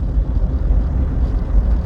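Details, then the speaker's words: Citroen Berlingo diesel on the road after repairs, previously poor running for years and reluctant at low speed in third: deep, even rumble pulling steadily at very low speed in second gear, no surging or hesitation; running 100% happy. "Yeah, that's 100% happy. This kind of feels like it should. Similarly, very low speed in second gear."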